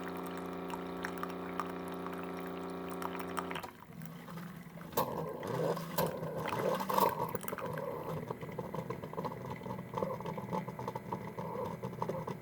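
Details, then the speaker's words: Keurig coffee maker, reported as not shutting off water: steady pump hum and a strong, even stream filling the cup; nozzle not clogged. Normal pump operation. "there goes I hear a pump running it's coming out albeit I guess that's coming out of a pretty good speed so the nozzles not clogged"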